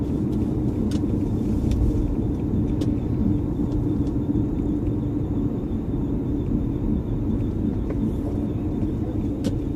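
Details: 1999 Lexus LS400 while driving: a steady, rough, low grinding rumble with no clear rhythm runs under the drive noise.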